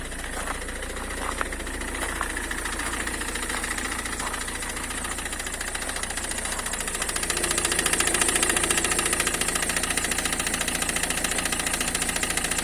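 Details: Citroën C5 2.0 HDi diesel at idle: steady, even knock three to four per second near the right front wheel, growing louder partway; suspected high-pressure pump, but the cause is the failing crankshaft damper pulley.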